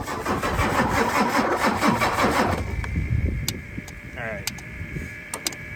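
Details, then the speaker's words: 1996 Ford F-250 7.3 Powerstroke diesel with veggie oil conversion, sitting 10 years: steady cranking about 2.5 seconds without a single catch; cranks but won't fire, starved of fuel; injector buzz test planned. "yeah the last time we were up here with this truck we couldn't get the fire I brought back my computer today so I'm gonna put some power to it"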